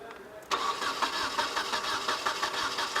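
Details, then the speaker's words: 1996 Nissan 2.4 no-spark, no-start: starter cranks in quick, slightly uneven pulses with one beat dropping out, a skip in compression; engine won't fire, possibly a flooded cylinder or cylinder wash past the rings, unconfirmed. "did you guys hear the little Skip and uh compression on that last Crank that was a little concerning"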